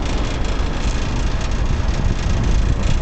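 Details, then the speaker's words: Ruud commercial rooftop unit running flat out in air conditioning mode: heavy uneven low rumble that keeps shuddering, unit vibrating and bouncing with the gas line jiggling; poorly balanced unit vibration, blamed on installation rather than equipment. "not the most balanced unit you can hear vibrating and bouncing away the gas line just jiggling back and"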